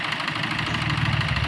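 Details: New Maruti Swift diesel with code P0202 and hard starting: uneven, lumpy idle with a faint knock that stumbles now and then, a steady misfire on one cylinder. Cause suspected, not confirmed.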